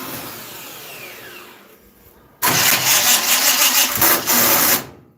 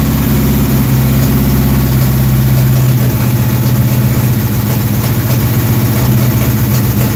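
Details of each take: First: Dirt track race car with one shim fitted: about two seconds of harsh, uneven starter grinding without catching, starter not engaging fully; starter loose and wire loose, shim to be removed. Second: Dirt track race car V8 with timing just adjusted, hot engine: deep lopey idle holding even at about four pulses a second with no misses or knocks; normal idle.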